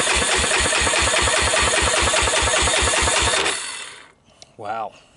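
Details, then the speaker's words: 1998 Honda TRX300EX single, carburetor removed for a compression test after oiling the intake valve seats and a few minutes' running (previously 35 psi dry): even, strong cranking pulses about three per second, reading 155 psi; healthy compression. "wow 155 this engine is rock solid and when it was running it really wasn't smoking or anything"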